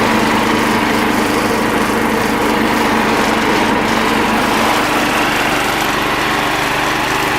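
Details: Sears Suburban SS12 garden tractor, believed 1970, driving in high range with mower blades engaged: constant high drone, no surging, knocking or grinding; holds speed under blade load.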